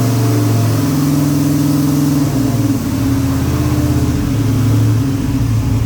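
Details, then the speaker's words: 1979 Pontiac Grand Prix V8 on first start after a new carburettor connection, with a bad oil leak and spilled coolant cooking off: a deep, steady note with gentle throttle blips and no hiss or squeal; runs really well. "well it runs really well"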